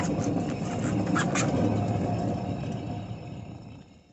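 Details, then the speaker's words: 2009 Dodge Dakota on lift, wheel spun freely, noise while driving louder than radio: deep rumbling growl rolling on then fading as wheel slows; worn hub bearing, differential doubted, driver side quiet. "sounds like there's a thunderstorm going on or something inside that wheel bearing something's happening if it ain't that wheel bearing which is what I bought going to have other problems"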